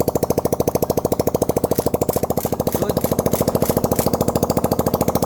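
A small single-cylinder engine idles with a steady, even putting beat and no knocks or rattles.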